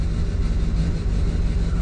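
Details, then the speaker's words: 2007 Chevrolet Duramax diesel, towed in after white smoke and stalling, running after a plug reconnected: deep rumble with a lumpy uneven pulse, one cylinder not firing (likely number seven or eight), no check engine light. "check engine light's not on even though it's not even hitting on one cylinder"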